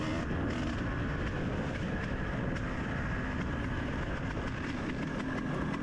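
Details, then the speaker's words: Dirt bike racing a muddy, slick trail lap in the rain. Crisp, even exhaust note pulling steadily; it sounds healthy and felt powerful, yet the rider says it was unexplainably down on power. "See, the bike here sounds like it's running pretty good, like, and it was. It felt like it had power."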